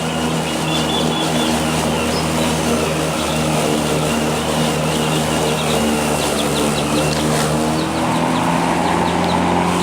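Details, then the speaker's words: Two-year-old Black & Decker battery-powered self-propelled mower in heavy grass, battery showing one bar: motor hum sounds strained and sagging, barely running, near stalling; owner suspects battery ageing, since it loses power about halfway through each mowing session. "I made it through that pass it's just barely running right now but the grass is really full charge throughout the entire moment session it's losing power about half way through"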